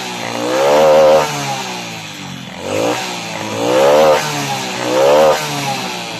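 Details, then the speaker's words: Honda RS 125 Fi motorcycle engine revved in repeated bursts, hollow clatter growing louder with each rev over the engine note; piston slap. "kapag nreb mo lumalakas ang kanyang kalansing sa kanyang makina So ibig sabihin ang problema meron ang kanyang makina guys ay piston slap"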